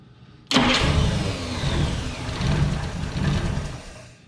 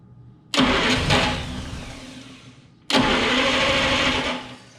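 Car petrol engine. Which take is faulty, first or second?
second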